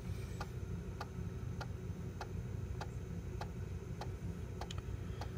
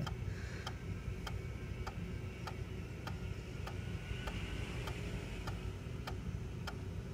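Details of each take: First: Macintosh PowerBook 165 floppy drive, just woken up with a disk inserted: sharp dry clicks about every 0.6 seconds over a low hum with a quick double tick near the end; drive sounds rough, owner hopes running it a while may cure it. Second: Macintosh PowerBook 165 floppy drive formatting a disk after initially sounding rough: light, crisp clicks about one and a half per second over a quiet hum; drive working fine.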